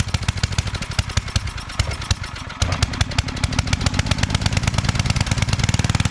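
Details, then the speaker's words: Coleman Powermate 5000-watt generator, after sitting a couple of years, cleaned, with fresh fuel, oil change and a new fuel line clamp: uneven, lumpy firing that stumbles and surges; output only about 80-something volts, not reaching full power. "okay so for some reason we're not getting full power so yeah on our voltage we're only getting 80 something so definitely"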